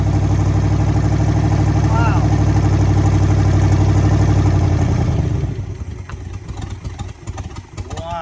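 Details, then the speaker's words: 1966 Buick Sport Wagon V8 after ignition points work: deep, smooth, even burble with no skipped beats or misses for about five seconds before shutdown, sounding far better than before; normal idle. "that's more like it that sounds so much better it sounds 100 times better than last"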